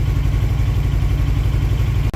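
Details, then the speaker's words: 2007 Suzuki GS500F, last ridden 2019 after five years sitting, now revived and running great, rain loud on the garage roof: low, even thumping idle with a steady beat, no misses or knocks; normal idle. "She's running. Been running great."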